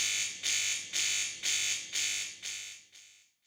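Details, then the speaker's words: De'Longhi Magnifica ESAM4200 bean-to-cup machine, 15 bar pump with trapped air during rinse cycle: harsh loud buzzing pulses about twice a second, no water delivered; cleared by opening the steam dial to run hot water about 20 seconds. "when the appliance is switched on for use during the rinse cycle a loud buzzing noise is heard and no water is delivered from the outlets"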